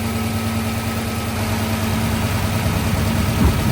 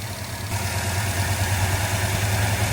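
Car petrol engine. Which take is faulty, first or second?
second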